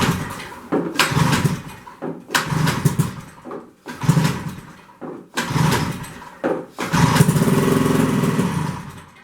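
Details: 1973 Skiroule RT 440 two-stroke snowmobile, not run for unknown time, started on sprayed fuel; raspy bursts that die, then rough very loud running like open exhaust; pipe had blown.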